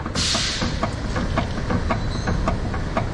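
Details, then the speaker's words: Renault Kangoo with about 242,000 on it, steering rack (direksiyon kutusu) completely worn: sharp hollow knocks four to five times a second as the wheel is turned back and forth, heard from under the raised car; rack to be replaced. "Evet bu ses yüzünden Bu kutuyu değiştireceğiz"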